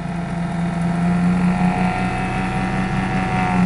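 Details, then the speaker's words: Flux gate generator motor on PWM from car battery, about 10 amps, generator output shorted; steady electric hum wavering and sagging slightly in pitch as the short drags the motor down, wires getting warm. "now I'm going to short the output yeah I think you guys can hear that shorting the output yes definitely putting a drag on the"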